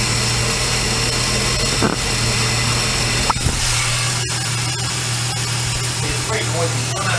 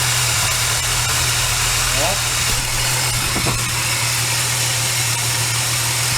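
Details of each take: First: Supercharged L67 VY Commodore engine running, microphone on a steel bar held against the drive belt idler pulley bolt: steady low hum under a dense dry rushing hiss from a noisy, dry pulley bearing, to be replaced. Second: Supercharged VY Commodore L67 drive belt pulley bearing heard via microphone on a steel bar: steady engine hum with a smooth even hiss, no grinding; quieter, acceptable, unlike the drier-sounding first pulley being replaced.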